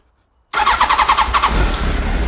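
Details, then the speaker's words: 1989 Honda CBR1000F abandoned over 10 years, first start with carbs fed from a funnel tank: brief crank, catches at once and settles into an even steady idle, sounds factory-fresh; normal engine start. "Oh my gosh. It sounds like it came out of the factory. Wow."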